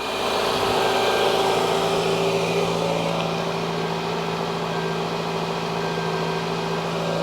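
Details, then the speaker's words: Toyota on ramps, started up to check for ticks: it settles into a smooth, even idle with a steady hum and no ticking or knocking. About 289,126 miles, check engine light on for EVAP, nothing leaking. Normal idle. "let's fire it up make sure that we have no ticks TS or anything else that's going to make us go [Music] crazy sounds good"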